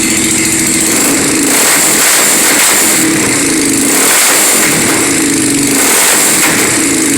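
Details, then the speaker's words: 1997 Yamaha Warrior 350 quad with stage 2 cam, full DG exhaust and rev limiter delete, revved in neutral in short surges. Faint popping and backfire; owner suspects an exhaust leak and that the carburetor may not be set right. "Got a little backfire to it. I think that's the exhaust leak."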